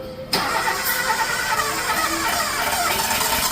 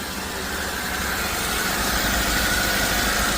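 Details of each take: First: Toyota Avanza sat unused five years: starter churns engine rhythmically about six seconds without catching due to stuck throttle body; after fix it starts and idles smoothly. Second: Toyota Avanza started after five years sitting, stuck throttle body freed: steady, even idle with smooth low hum, no knocks or misses; sounds like original, healthy.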